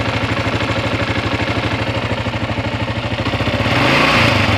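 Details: 2016 Kawasaki KLR650 at about 5000 miles: lumpy single-cylinder idle with a buzzy rattle on each beat, rising with revs near the end; abnormal vibration noise, source unclear.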